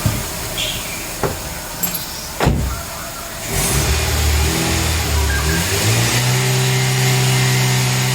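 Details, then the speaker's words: Nissan Grand Livina after tune-up with engine cleaner and cleaned EGR sensor, restarted with raised revs to burn out cleaner residue (white smoke expected); clicks, then smooth even raised idle; normal high idle. "Tinggal kita hidupkan dan kita gas RPM 2000 supaya bekas-bekas engine cleanernya itu semua terangkat semua keluar ya."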